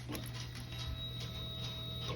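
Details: 2001 Honda CBR929 after fitting aftermarket Chinese ignition: steady two-second whir cutting off cleanly at key-on; fuel pump now primes normally (previously did not).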